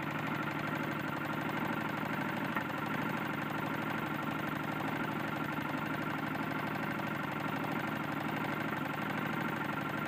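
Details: Tecumseh small engine on a lawn mower, buzzing fast at higher throttle with a dull knock underneath: connecting rod knock from a worn connecting rod.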